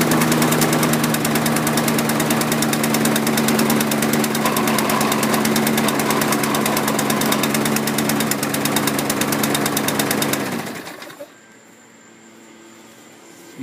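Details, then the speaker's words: 2012 Toro mower with a 7.25 hp Briggs & Stratton engine and automatic choke runs on a steady thump for about ten seconds, then chokes down and quits, sounding starved; stale gas, a plugged carb jet or an air issue is suspected, and it needs a carb clean. "it's got the automatic choke you'll hear what i mean when you uh listen to it it's it's got a either stale gas or one of the jets is plugged up"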